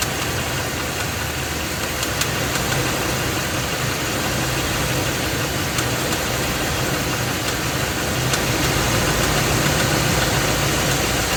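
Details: Ford F250 with 7.3L Godzilla gasoline V8, phone under the truck, idling, A/C off. Uneven knock about three to four per second in a harsh, noisy background; internal engine knock that the dealer left unfixed, truck later getting a new engine.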